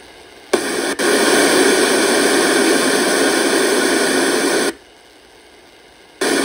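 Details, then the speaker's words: Channel Master 6514 portable radio from about 1960, made by Sanyo, 6 V DC, already recapped: loud, even rushing hiss cutting in and out even at low volume, traced with a signal tracer to a noisy 2S44 germanium driver transistor. "You can hear the hissing or rushing noise. I think we've just got a bad Germanmanium transistor."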